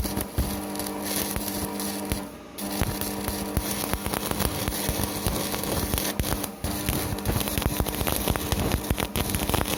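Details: Strat 160KS welding inverter, 2 mm gap, 2.5 mm electrode: a steady low hum under the arc crackle while welding; it hums but keeps welding, cause not known.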